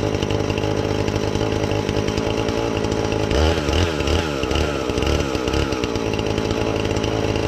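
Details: Husqvarna 450 X-Torq chainsaw that wouldn't run, new chain and bar fitted, started to check and adjust the carb (special adjusting tool bought): high buzzing note that bogs and recovers while cutting wood, pulling cleanly without stalling; normal running.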